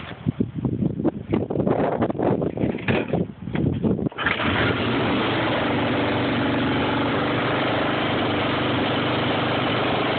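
Engine catches after a few seconds of cranking, then settles into an idle with a faintly uneven beat; rough idle, cause unknown.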